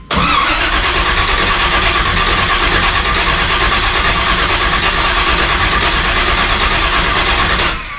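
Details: 1980 car on blocks, cranked to build oil pressure (48 psi) and pull fuel, battery reading 11 V: the starter spins the engine steadily for about eight seconds and it never catches; it cranks without starting because fuel is not being delivered yet.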